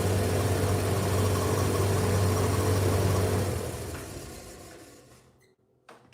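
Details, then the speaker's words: Steady low drone with a faint rhythmic rub from the turning drum, then a coast-down to silence. The bearings are audible; the drum bearings are worn, still mild. "Okay. Also, you can hear the bearings, obviously."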